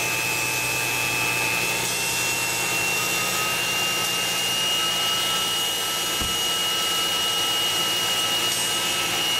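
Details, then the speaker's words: 2011 Mercedes-Benz C300, cold engine, secondary air pump unplugged and powered directly on 12 V: loud steady high-pitched screech with jet-like rush from the pump motor; worn pump bearing, not a pulley or power steering, pump to be replaced. "That's pretty noisy. Oh, there we go. Well, I don't know what a good one's supposed to sound like, but that one sounds really noisy. So that is the issue. It's not a pulley, it's not the power steering, it's that. It's a secondary air pump."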